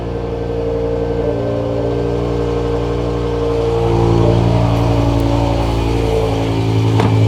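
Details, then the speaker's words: BMW M5 started after sitting, owner suspecting O2 sensor after an earlier malfunction and idle dipping below 1000 rpm: steady, even idle rising slightly as it settles, no misfire, hunting or knocking; starts and idles normally. "Sounds okay."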